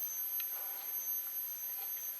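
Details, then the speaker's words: 1956/57 Hotpoint TV model 17S301 under repair for a failed picture tube, powered during high-voltage checks (about 460–577 V read, boost spec 490 VDC): a thin, steady high-pitched whine over faint room hiss is the normal flyback sound. "now I'm getting 577 and it's like you can hear the high voltage 470 you know"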